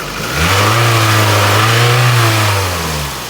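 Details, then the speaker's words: Toyota RAV4 with cable throttle, revved by hand at engine bay: lazy, limited revving that sags back, poor acceleration and low power; dark carbon-fouled plugs showed rich running, fixed by replacing fuel pressure regulator. "But under acceleration, this is what it does. It accelerates poorly and it has low low power"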